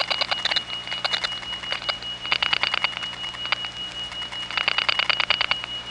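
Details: Faint bursts of rapid clicks and a thin high tone leak over a quiet line in a step-by-step environment (1976-1981 analog network): crosstalk from other trunks via capacitive coupling of wire pairs running side by side for miles.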